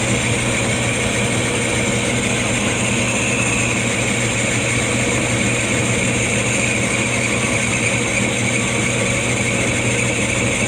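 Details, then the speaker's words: Lathe machining the new piston and rings for a 1911 Stickney 7HP hit-miss engine; constant hum under a steady gravelly, bag-of-rocks rattle that never changes, from a wobbling lathe drive pulley, not the headstock; not yet fixed. "Yeah, I know, I gotta fix that pulley. It wobbles, it sounds like a bag of rocks. One day I'll fix it."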